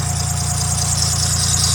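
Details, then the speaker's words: 2007 Dodge Nitro at idle before repair: steady high squeal constantly over a smooth idle from a worn idler pulley, which was then replaced with a new one. "all right you guys hear that noise that noise is driving me wild"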